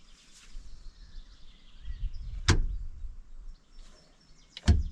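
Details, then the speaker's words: Tractor hauling gravel: two sharp single clicks about two seconds apart over a quiet low rumble, like something clicking in, heard from the gearbox. Cause unknown. "I think uh it doesn't matter if I'm go any further because I can I can hear that click now."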